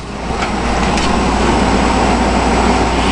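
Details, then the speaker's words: 1984 Hotpoint (GE) 7,600 BTU window air conditioner, fan turned down from high to low: soft, even rush of air with a faint low hum and no rattles or knocks. Normal, very quiet and smooth fan operation. "this is a really quiet and really smooth running unit we'll go ahead and turn it down to low"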